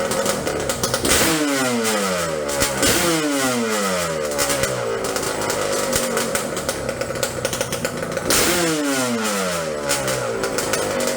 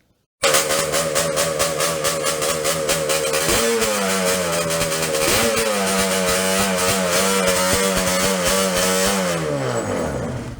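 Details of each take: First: Yamaha Banshee two-stroke twin drag quad on cheap knockoff Keihin 38mm PWK carbs, main drilled to 0.125 in: crisp, slightly uneven burble holding steady with quick blips; proper idle. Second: Yamaha Banshee two-stroke twin on cheap 38mm Keihin PWK copy carburetors, main jet drilled to 0.125 in, pilot raised from 55 toward 80; ragged, unsteady idle with revs surging and hanging before sagging; lean idle.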